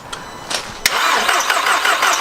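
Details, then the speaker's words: Audi TTS Mk2 8J, stolen and fire damaged, sat about 12 months, coil packs disconnected, borrowed BMW battery fitted: the starter clicks and spins the engine at an even, brisk whirr without firing; healthy cranking to prime oil. "I took the old battery out, I put the one out of the BMW in, and hopefully this time it'll at least turn over."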